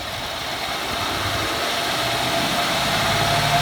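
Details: 2014 Ford F-150 4x4, hood open, revved in place: harsh scratchy high screech over engine as revs climb, nails-on-chalkboard; once only when cold, gone after 5 minutes, now constant; undiagnosed, dealer visit pending; grinding squeal under acceleration.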